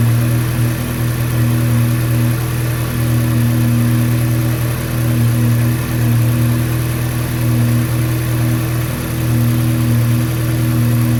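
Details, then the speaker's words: 2012/13 VW Golf R MK6 full bolt-on after alternator replacement: strong steady engine note, smooth even revving, no knocks, ticks or whine; healthy normal running. "I'm about to bolt the oil catch can back up and then start it up. Let y'all hear that joint running."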